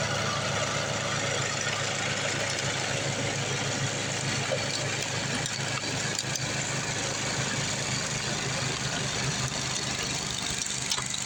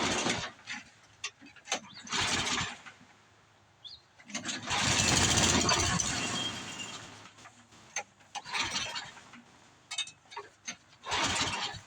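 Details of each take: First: Craftsman 826 track-drive snowblower with a new 31-inch auger belt fitted after the old one broke: steady single-cylinder drone at even throttle with a busy hiss of thrown snow, engine holding speed. Auger working normally under load. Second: Craftsman 826 track drive snowblower after auger belt replacement (31-inch belt); repeated pull-start cranking with no firing because the tank was empty of gas; engine cranks but will not start, no fuel.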